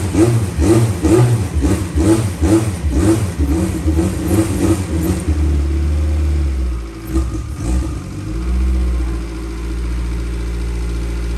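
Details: 1000 hp K-series jet boat that wouldn't restart, after ECU grounds were run directly to the battery and settings reverted. The engine fires and revs in uneven bursts about twice a second, then settles into a steady, even idle with no knocks. Normal running.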